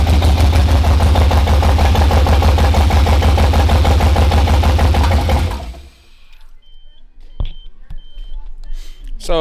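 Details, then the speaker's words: R32 GTR with LS swap (LS1 manifold, EV1 injectors that had sat a long time, new Holley harness, new plugs): choppy, lumpy idle with a hard uneven pulse about three times a second before shutting off; misfire blamed on faulty injectors. "you heard it it starts it runs but it does not sound like but it doesn't sound like how it's supposed to sound it's not firing"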